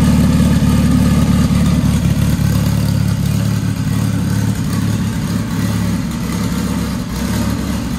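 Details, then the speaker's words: Dodge Caliber SRT4 just fitted with a Precision 6266 big turbo, untuned, first start after oil priming: steady, even low idle with a smooth rumble and no ticking, knocking or exhaust puffing; normal idle, no apparent exhaust leaks. "so well guys i'm going to call that a success uh the car cranks runs fine idle's fine"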